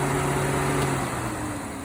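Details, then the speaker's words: 1951 Buick Turbo LS build, electric radiator cooling fan on a 30 amp breaker and 80 amp relay, coil triggered by grounding during testing: smooth steady electric whir, even tone, no rubbing or ticking; fan running normally. "And if I ground this, the fan should come on. There we go."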